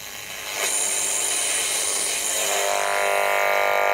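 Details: Homemade RF sniffer probe on a sensitive setting brought near lights: the hiss rises into a dense, steady, multi-tone buzz. The lights are radiating RF interference.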